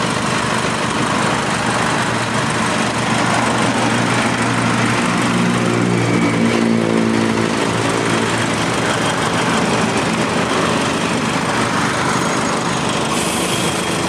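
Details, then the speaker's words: 2009 Nissan Navara 2.5 diesel, 6-speed manual, idling with the air-con compressor running normally and no smoke: steady, even diesel clatter with a constant compressor hum underneath and no knocks or misses; engine and AC sound healthy. "ไม่มีควันไม่มีไอครับก็จะเป็นประมาณนี้นะครับวันนี้ฟังเสียงเครื่องกันแล้ว"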